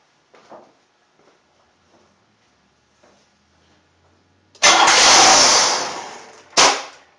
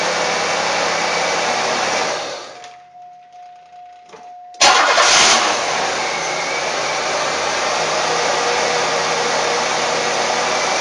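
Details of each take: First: 1994 Buick 3.8 (OBD-1), towed in: starts, revs up and shuts off; flares hard for a couple of seconds then dies. Mass air flow sensor or metering problem first suspected; found to be unmetered air (vacuum leak). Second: 1994 Buick (OBD-1) after repair, troubleshooting unmetered air/vacuum leak: engine shuts down and refires quickly, then steady even idle with no hunting; brake cleaner sprayed at suspect spot causes no rpm change, so no vacuum leak there.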